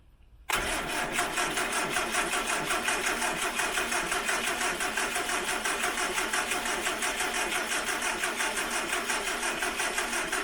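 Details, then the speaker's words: 1968 Morris Minor 1000, first start of 2023 after sitting, cold weather, on choke: starter drags slowly with even compression beats near three a second and never catches; both batteries tried seem low, slow cranking from weak battery. "so apparently both that battery and that battery seems a bit low let's just give it a second maybe a little bit more joke"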